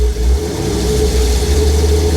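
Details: 1950 Chevy cabover, LS-swapped V8, first start after VATS anti-theft delete: deep, even rumble picks up cleanly on a quick throttle tap and settles back, no knocks or misses; gauge maxed at 130 PSI oil pressure, sensor suspected bad.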